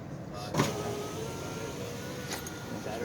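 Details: 2004 Ford F-150 5.4L Triton after window regulator replacement: steady, even motor whir as the glass travels up, no grinding or binding; power window working normally.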